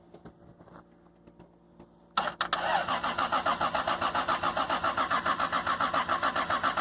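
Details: Toyota Supra single-turbo conversion, 97 anniversary edition, engine swapped, original ECM removed, no MAF or O2 sensors, first start after almost 10 years sitting: even cranking about 3.5 turns per second, never catches. Suspected old fuel.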